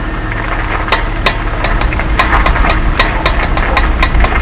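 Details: Jeep Wrangler JK: sharp irregular clicks about three a second over a low engine rumble, from the front left wheel only when turning hard left, caused by a bad front axle universal joint with broken cylindrical bearings.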